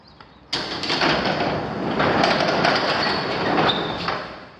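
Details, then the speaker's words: Newer garage overhead door whose springs are not adjusted properly, with no spring tension notices. A loud rumbling roar runs for about four seconds as the door travels, where a new door should be almost silent: noisy garage door operation. "And I don't know if you could hear that, but these are loud. A new door like this, it should be almost silent. These are way too loud."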